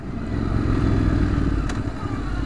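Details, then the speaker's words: Motorcycle with about 3 litres of diesel put into the petrol tank, riding under load: flat, lumpy, labouring tractor-like sound, very slow to accelerate; rough running from diesel-contaminated fuel, owner suspects unburnt diesel passing out the exhaust. "oh God it's running like horribly wrong and it's taking ages to accelerate"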